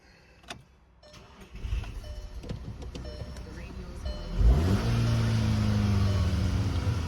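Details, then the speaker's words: VW GTI that would not start after being driven hard: a few clicks, then the engine catches and settles into a steady, even idle. A leaking fuel injector was found, and the intake manifold was swapped for a spare with good injectors. It runs well now. "So I just swapped it out. Running good now."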